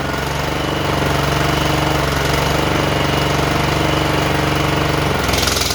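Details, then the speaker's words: John Deere JX85 commercial walk-behind mower after carburetor rebuild, running with blades engaged: steady, even engine beat holding speed with no surging or hunting; previous surging fixed. "okay I'm not hearing any surging I think we took care of it whatever it was yep going to go ahead and engage the blades"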